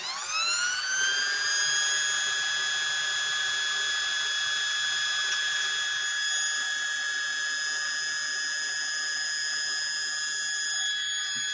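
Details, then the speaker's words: Restored 1961 Singer 401A sewing machine with clutch disengaged, motor powered up to full speed: winds up quickly to a high, steady whine with no rubbing or ticking; strong power, runs freely. "we literally just took off like a jet engine so sibel's machine has some crazy crazy power now"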